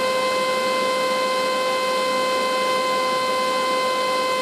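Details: 12 V 4 A Chinese turbo fan used as lab exhaust fan; piercing steady high whine near 500 Hz and 1 kHz over rushing air hiss, like an air raid siren; loud blower whine.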